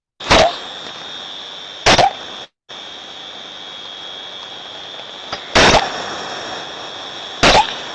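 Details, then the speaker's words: Ultrasonic recording of an on-off steam trap: sharp bursts of hiss every couple of seconds over a steady background hiss; the trap is cycling far more often than it should, unlike a good trap that stays quiet when closed. "one so although you think it's an onoff design you see already that this one is doing it way more than it should"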